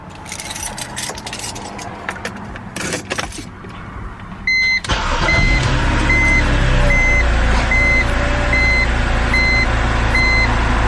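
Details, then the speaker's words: 2010 BMW X3 starting after repairs for a prior rough start and check engine light: brief crank, catches cleanly and settles into a steady, even idle with a dash chime; seems fixed so far. Normal start and idle. "if it has a rough fight on the start i know it's not fixed but so far i think it's good"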